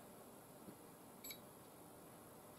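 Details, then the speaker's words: ZX Spectrum with Interface 1 and a vDriveZX, an SD-card microdrive emulator, loading the program Bruce Lee from microdrive 7: near silence, then one short, high, faint beep from the vDriveZX as it loads normally. "and you can hear that little beep that is the b driver"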